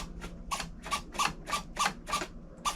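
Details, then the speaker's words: OMP Hobby T720 trainer plane on the ground: quick whirring bursts, about three a second, from the rudder servo, which has a lot of throw and does not return to center, even in sport mode; no trim settings. Cause unclear. "wow that is a lot of throw well it does not so that's kind of it's not whoa It's not returning let's put in sport mode"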